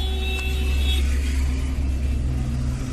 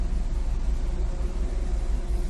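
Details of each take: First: Maruti Suzuki Swift petrol/CNG at idle: lumpy, wavering idle, RPM hunting up and down, vibration and pickup problem; one cylinder misfiring, ignition coil found faulty and replaced. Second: Maruti Suzuki Swift petrol/CNG engine after ignition coil replacement, idling with AC on: low, even rumble holding steady RPM, the earlier idle hunting and misfire now gone.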